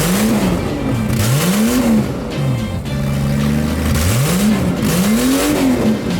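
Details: Toyota Cressida MX73 with a 5M-GE engine, now fitted with a junkyard 7M-GTE turbo as a 5M-GTE, first start, car up in the air. Strong throttle blips rise and fall cleanly under background music; the engine revs freely and sounds healthy.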